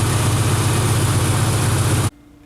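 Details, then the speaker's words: Straight-six engine just converted back from a Pertronix unit to points ignition, idling with an even, steady low rumble before cutting out; an exhaust leak at the center cylinder had just been tightened. "oh yeah she's running good now pretty cool"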